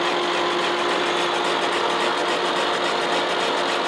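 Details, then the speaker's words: Boring the worn, out-of-round cylinder of a 1917 A.D. Baker steam traction engine on a Lucas horizontal boring mill with a Chandler Duplex boring head: steady hum with quick regular ticking as the cutter bites only the high spots, hitting in two spots. "now if you listen you can hear it hitting in two spots so it's definitely cutting a little more"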